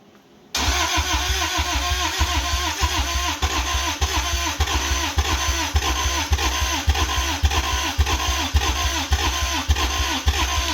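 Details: 1985 Toyota MR2, 4A-GE 16V, long sitting, jumper-wire start; starter cranks, engine catches with uneven lumpy beat but won't stay running; cause suspected, not confirmed.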